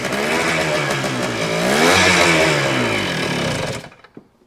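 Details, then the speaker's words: 1975 Kawasaki KE125, formerly seized, carb rebuilt, started with a spray into it. Buzzy, ragged revving surges up and falls away, dying within seconds; runs only while throttle is held. Rough running on throttle only. "(1975) Kawasaki KE125 that was seized is now running."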